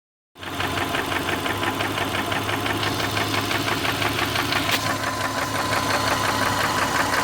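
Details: 2003 Subaru Forester petrol engine at idle, warm, oil changed every 3–5k: steady regular knock about three per second, long-standing and worsening, almost stops at higher rpm; owner suspects piston slap, rod knock or belt tensioner.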